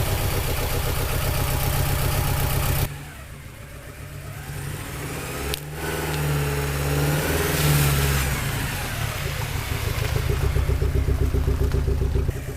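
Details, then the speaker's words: 1983 Porsche 944 Turbo after a new fuel pump and relay and an oil change, running once it was cranked longer. It idles steadily, drops back, then revs cleanly with no misses or knocks; it runs and drives, smoking slightly. "well she's smoking a little bit but she does run and drive and move so that makes me happy"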